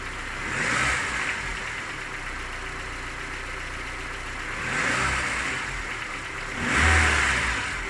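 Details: Engine knocks when cold: sharp metallic tapping over each throttle blip with steady idle between; knock fades as it warms and is gone by 90 °C; hot compression 11 in all cylinders; cause not yet found.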